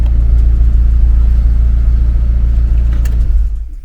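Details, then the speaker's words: 2000 Honda CR-V AWD, B20 5-speed, idling after the original throttle position sensor was refitted and set to the right voltage: a deep, steady idle with no fluctuation or bouncing and no check engine light, only a slight rattle from the solid mounts. "it's still rattling a little bit loud because it's got the solid mounts but there's no more idle fluctuation this thing is like spa on nothing no bouncing no weirdness"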